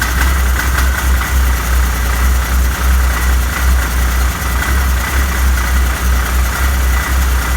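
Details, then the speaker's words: Arctic Cat 7000 snowmobile, Yamaha 1049cc triple, about 12,000 miles, clutch side cover off, engine stalls after seconds: rough low rumbling idle with uneven loose rattle almost like a miss; clutch rattle at low rpm. "What you're hearing is a clutch rattling. I got the side cover off the other side, just clutch noise. But yeah, when it gets down to low RPMs like that, it really makes the clutch rattle."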